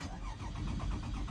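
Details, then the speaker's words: Toyota Sienna van, battery had died; steady starter churning about five strokes a second with no firing; crank no start, immobilizer not recognizing the key. "as you can see it's not starting it also the battery died and the vehicle shut off causing the vehicle to be towed"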